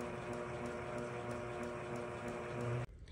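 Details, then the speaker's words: Gen 4 sewing machine hook timing check after hook assembly screws tightened, stitch regulator off, stitches lowered, machine engaged: soft motor hum with light even tick about three times a second, then stops; correct hook timing. "Stitch regulator off lower the stitches Engage The Machine and we're listening for that light tick that you can"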